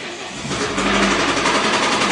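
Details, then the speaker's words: Saman with the national EF7 engine: fast dull knocking steadily under the engine note as it picks up; caused by low-quality oil that evaporated after 1,500 km and an ignored oil light; engine bearing knock. "این صدای یاتاقان داخل خودرو با موتور ملی یا همون EF7. دلیلش هم اینه که روغنی که براشون استفاده شده یا ریخته شده داخل خودروشون با کیفیت نبوده و بعد از 1500 کیلومتر روغن بخار شده."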